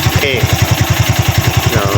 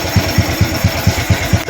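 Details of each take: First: Used Honda Wave 110i motorcycle at idle: steady thumps with a dry metallic cam chain clatter from the cylinder head, caused by a failed cam chain tensioner. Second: Honda Wave 110i motorcycle at idle after a timing-chain and cylinder-head noise repair (bought used; piston also replaced), engine started the day after reassembly: even low thump, no ticking. Normal quiet idle.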